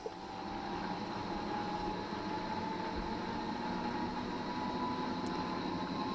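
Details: Fisher & Paykel direct-drive top-loader washing machine after replacing the main drive bearings (6005 2RS) and shaft seal, spinning up to speed: a smooth, steady mid-pitch hum with no rumble or grinding. Bearings are now quiet.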